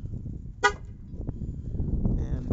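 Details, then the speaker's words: Ram pickup at about 4–5 °C on a windy spring day, pressing remote lock before remote start: one short sharp horn toot over wind and background rumble; normal lock chirp. "first i'll hit the uh the lock so you can hear the horn from here because everybody owns one of these they'll be looking to know what this sounds like"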